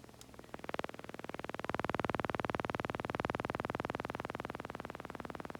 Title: Mavic Pro - Gimbal strange noise